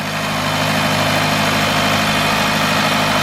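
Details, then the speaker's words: 2018 Jaguar XF 2.0 petrol after replacing the timing chain, water pump and turbo for a stretched chain, rattle and engine light: an even, steady idle with a smooth low hum and no knocks, ticks or misses. The engine sounds healthy. "ready to start the vehicle now everything's all assembled all the plugs coolant pipes wiring exhaust is on gearboxes on Barry is that it sounds healthy"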